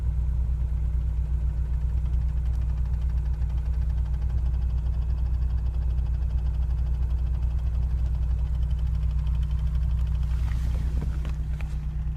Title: Ticking noise